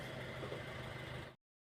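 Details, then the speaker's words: Car idling with the AC on, which runs the fan directly, after an overheating repair that replaced the radiator fan motor assembly, air filter and coolant: a steady, even cooling-fan whir with no rattle or scrape. No longer overheating; normal radiator fan running. "നമ്മൾ radiator fan motor assembly അതുപോലെ air filter മാറിയിട്ടുണ്ട്, കൂളൻറ്റും മാറിയിട്ടുണ്ട്. ഇപ്പോൾ complaint okay ആയിട്ടുണ്ട് കേട്ടോ. Over ഹീറ്റൊന്നും ആവുന്നില്ല, complaint okay ആയിട്ടുണ്ട്."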